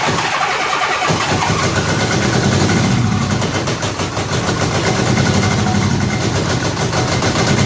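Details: Honda Gold Wing after head removal and new head gaskets, first run without coolant, brief run; engine catches and settles into steady even idle, no knocking, tapping or smoking; normal idle.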